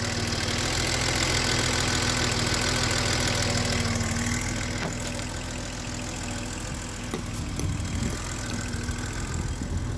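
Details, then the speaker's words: BMW E32 735iL petrol engine at warm idle after a drive, with uneven speed and occasional misfire-like stumbles; the cause was incorrect spark plug gaps, and the engine is smoother after correct gapping. "And the car is still misfiring, or I don't know. It's like it's stumbling sometimes."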